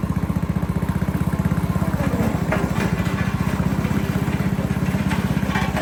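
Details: 8hp Tecumseh engine on a pavement roller after replacing the varnished original carburetor with a new one; steady, even single-cylinder firing pulses with no misses or knocks; runs cleanly and smoothly after repair.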